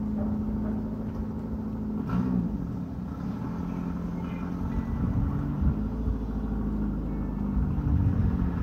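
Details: 1995 Ford Escort wagon, old exhaust before replacement: loud raw rumble with uneven puffing, no muffled tone, swelling as engine revs; only the engine-mounted cat muffles it, a six-to-eight-inch hole between cat pipe and rest of exhaust.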